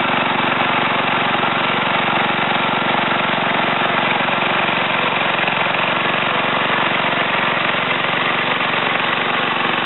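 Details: Ariens TA20A Trans-a-matic tiller after engine rebuild and clutch repair (broken/missing plate clutch parts replaced), carburetor untouched: small single-cylinder runs fast and even under light tilling load in wooded ground, steady buzz without surging or misses; normal running.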